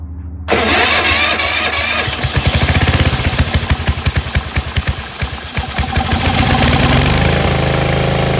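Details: Yard Machines 38" riding mower, 13.5 HP Tecumseh engine, choked, after valves adjusted to 0.004 in intake and exhaust: brisk, even cranking pulses for a few seconds, then fires and settles into steady run; cranking speed now healthy, normal start.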